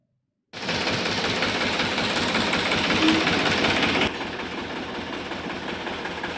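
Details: Balwan 450 tractor diesel after hydraulic pump replacement and hydraulic oil refill, lift cycled up and down to test: clatters evenly from start-up, then a quieter steady run; hydraulics now working fine, normal running.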